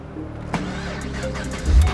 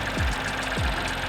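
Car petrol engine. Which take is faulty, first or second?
second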